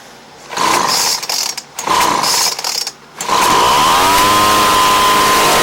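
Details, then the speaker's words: Craftsman 29cc two-stroke blower, a no-start that was missing its spark plug and had no gas, now fitted with a Chinese aftermarket plug from a carb kit: two short buzzy bursts, then it catches and holds a steady high-pitched run. "And now you guys know, those Chinese aftermarket spark plugs that come with those carburetor kits, they work."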